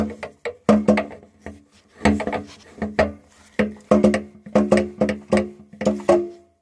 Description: 440 Chrysler loose flex plate. All bolts holding the flex plate to the crank were loose.